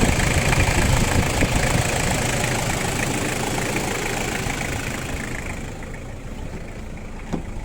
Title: Стук форсунок 1kz